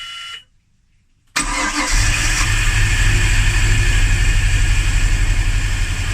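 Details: Hard start with fuel pressure confirmed good: brief stumble, extended cranking, then a rough idle; owner suspects a spark or timing problem.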